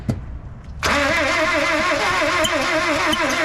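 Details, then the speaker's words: 1976 Ford Courier mini truck cranking on new spark plugs: a steady wavering starter beat, about three surges a second, with no clean catch; smoke comes from around the thermostat and the owner next plans to loosen the distributor; cranks but fails to start. "she's trying to [Music] fire for some reason I keep getting smoke coming out of the what appears to be the thermostat that's kind of odd"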